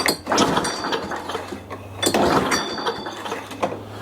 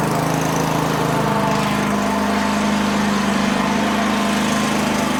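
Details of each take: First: Older Toro 21-inch self-propelled mower, sat dry in a shed about 10 years, tried off choke after starting fluid; three pull-cord rattles about 1.6 s apart, dry clatter with no firing; spark plug later found bridged with carbon. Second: Older Toro 21-inch self-propelled mower that sat about 10 years, started cold on starting fluid at 3/4 throttle and on choke: runs steadily, then its speed surges and wavers; an unidentified rattling noise was also noted.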